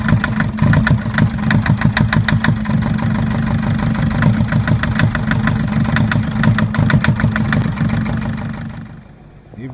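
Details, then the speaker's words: Mercedes Sprinter 904 with OM611 four-cylinder diesel idling with a hard regular knock about three per second; first-cylinder injector faulty and due for replacement, knock disappears when that cylinder is cut out. "опять 611 двигатель сейчас мы заглушили вот тук пропал форсунка первого цилиндра под замену двигатель работает на трёх цилиндрах но без Тука"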